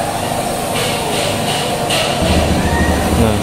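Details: Honda Beat Eco/Beat Street scooter with an ACG starter that stalled suddenly, running after an ECM reset with the CKP sensor checked normal. The engine catches partway through and settles into a steady, even low putter. It is a healthy idle with no stalling.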